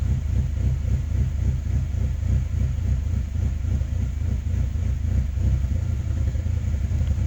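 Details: 2005 Saab 9-3 Aero after a rebuild, idling with code P0300 and a flashing check engine light: an uneven, lumpy idle stumbling about three or four beats a second. Plugs are new; the owner suspects a coil pack and plans to swap them one at a time.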